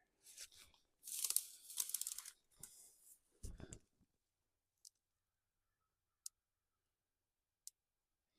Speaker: hear it popping on this wet grass something too is it is is touching this wire here that's sending power out around that way could cut that too and see what happens